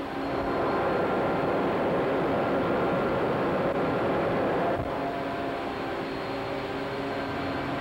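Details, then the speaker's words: 300 hp Siemens-Allis motor and gear reducer driving a coke pulverizer mill: steady, even hum with a constant tone and no knocks or grinding. Running normally. "Sound of the gear reducer. And the sound of the 300 horsepower Siemens Alice motor."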